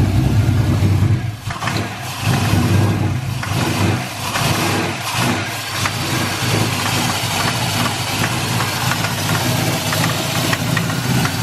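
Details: Boosted GTO V8, fuel pressure about right: uneven, lumpy running with surging revs as throttle holds it alive; running rich and rough, base timing off, expected to learn.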